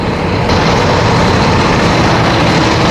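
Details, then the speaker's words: Newly fitted Webasto Thermo Pro 90 coolant heater on a Demag AC220 crane, replacing a failed Eberspächer, at 80°C with no faults. It gives a loud, even roar with a constant rushing tone and no surging, misfiring or rattles: normal running. "We've got no faults. She's still roaring away."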